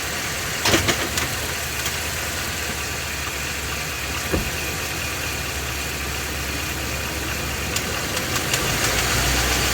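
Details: Ford F250 7.3 L Godzilla gasoline V8, phone under truck, idling then loaded in gear on brake, A/C off: light tapping knock under hum; dealer said drive it, noise persisted, engine being replaced.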